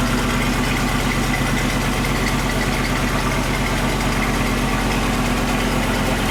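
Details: Land Rover 101 Rover V8 idling after belt tensioner pulley bearing replacement: deep, even burble with no chirp, squeal or rumble from the belt area; sounds healthy.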